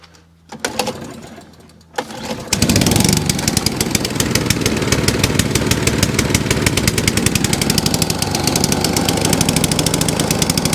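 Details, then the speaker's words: ATCO cylinder mower with a Dell'Orto carb, left overnight with fuel and no leaks, started on choke: runs unevenly, rising and sagging; hunting because the choke was set too far. "That hunting because I put the choke too far around."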